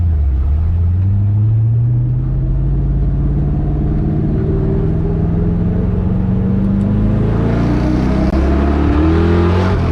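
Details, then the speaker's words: 1966 Chevy C10 accelerating with a newly built first-time exhaust system and new mufflers; a deep V8 rumble that rises smoothly in pitch with no rasp, ticking or leak puffing, much quieter than before. Healthy exhaust. "you think it sounds pretty good pretty good it's a lot quieter it's not as loud as it used to be oh man that's much better"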